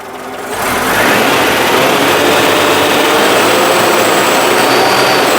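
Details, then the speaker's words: Citroen after exhaust refit with paste: a steady, fast, gritty rattle-scrape from the back of the running engine. The owner suspects the bearing of the new alternator, source unconfirmed. The engine has no timing chain or belt. "It sounds like it's coming from the back of the engine. The scraping noise. It almost sounds like a scrape. Or maybe it is just the slow death of the new alternator."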